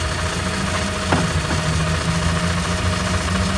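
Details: 1995 Toyota Camry idling after oil pump gasket replacement, fixing an oil leak that began after timing belt replacement; no oil leak seen, steady even idle hum with no knock or miss, normal.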